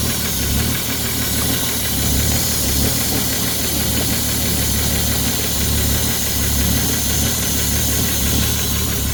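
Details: Ford 3.5 EcoBoost V6 from a Police Interceptor at idle: steady, deep knock repeating in time with the crank over the engine's hum; rod knock from a worn connecting rod bearing.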